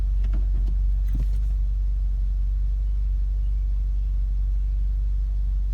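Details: 2015 VW Golf R DSG, APR stage 2, in park or in drive on the brake, cold or warm: low lumpy idle surging as if about to stall, needle jumping, drives fine; plugs, coils, oil, cam adjuster magnets already replaced.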